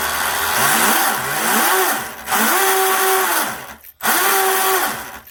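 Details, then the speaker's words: RC twin-motor brushless drag boat, Leopard 2860 2730KV motors, OSE 90A ESCs, OSE 3814 CNC props, test after reversing starboard motor: rising and falling whine with rough buzz; props loose on shafts, need tightening. "Okay, I need to tighten my props up. That's what that noise is, you know. My props aren't tight."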